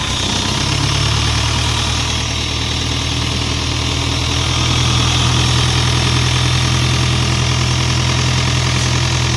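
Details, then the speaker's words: Isuzu 4LE2 diesel engine on an air compressor, previously would not start (smoke from intake at cylinder 4, others blamed electronics), now running after head work: steady even diesel clatter at idle, no surging; healthy, settled idle. "bale Ito okay na umaandar na siya hindi kamukha nung pinuntahan natin ito na hindi talaga siya makuhang umandar"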